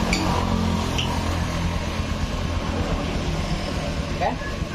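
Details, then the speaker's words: 2019 Honda Beat Street scooter after correcting wrong valve seals, with the cam chain tensioner modified rather than replaced: steady even idle, low hum, no knocking or rattle; no more smoke or engine noise. "udah sembuh teman-teman udah enggak ngebul nah nah untuk di bagian mesinnya udah enggak berisik lagi"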